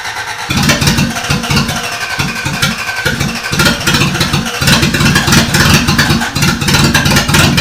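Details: Toyota Corolla, first start after engine reinstall, with a suspected bad starter ground: choppy cranking bursts catch and build into a steady, even run with a few throttle blips; normal start and run.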